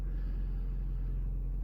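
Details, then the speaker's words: 2008 Honda Civic Hybrid, cold start after top engine mount replacement: low, steady, even idle rumble with no shake, knock or buzz; vibration gone, normal idle. "all right there it is everyone no weird vibration no weird sound"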